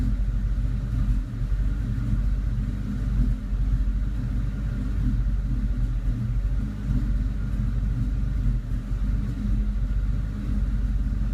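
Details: 2002 Ford Mustang GT V8 at idle or held revs without load: deep rumble with uneven lopes and periodic dips, a misfire that vanishes when driving. Owner suspects a leak of some sort.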